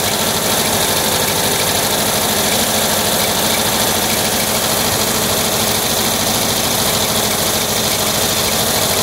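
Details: 1979 Volkswagen Type 2 with 2-liter fuel-injected flat-four engine at idle: bright glassy clinking at engine speed, like bottles knocking; cause unconfirmed.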